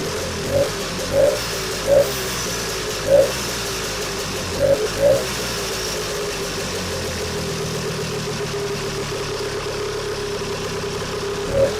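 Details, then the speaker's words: Vintage two-stroke snowmobile after a cleanup and reassembly, now pulling fuel: settles into an even, self-sustaining idle with a few louder early puffs, running cleanly on its own; fixed. "So we'll give her a little drink. And she should run on her own this time."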